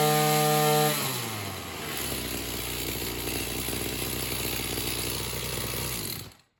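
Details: Oleo Mac BC240 strimmer, assumed 24cc two-stroke, warmed up after spark plug clean: idles nicely but at full throttle stays at a flat labouring buzz, never reaching full revs; owner suspects a partly blocked in-tank fuel filter.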